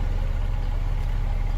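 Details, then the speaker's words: Honda City on CNG that stalled when switched to gas; after injector cleaning and replacing one leaking injector, running on gas: steady, even low rumble with no dips or misses, a smooth normal idle. "ก๊สเรียบร้อยแล้วครับตอนนี้ก็เครื่องนึ่งแล้วจากการล้างมาเพื่อพ่อหัวฉีดรั่ว1หัวนะครับก็ทำการเปลี่ยนให้เรียบร้อยอันนี้เครื่องนิ่มแล้ว"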